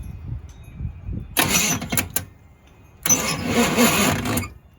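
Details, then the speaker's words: Neglected old Chevy 350 V8 in a K5/K10 off-road project, starter shimmed long ago: two bursts of labored, rough, uneven cranking with quiet gaps, struggling and not firing. "Whew. She sounds pretty rough now. I know I shimmed that starter a long time ago. Struggling to fire though, for sure. Doesn't sound very good actually."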